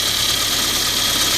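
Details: Saab 900 at rough idle: fine injector clicking over a hissy top end with a slight shudder; one injector isn't spraying, so its cylinder misfires, likely indicated by a cooler exhaust header (290 vs 300–360 degrees on the others).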